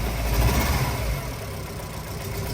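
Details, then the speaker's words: Tata CNG A34 just started, idling rough and uneven with a lumpy rumble, not firing on all cylinders, shaking and hesitating on acceleration. Valve cover gasket leak put oil mixed with water into the spark plug wells. Four plugs and the gasket were replaced. "เบื้องต้นลูกค้าแจ้งอาการรถสตาร์ทติดเครื่องสั่นเร่งไม่ขึ้นไม่มีแรงอะไรประมาณนี้นะสตาร์ทติดนะฮะเครื่องเดินไม่เต็มสูบ"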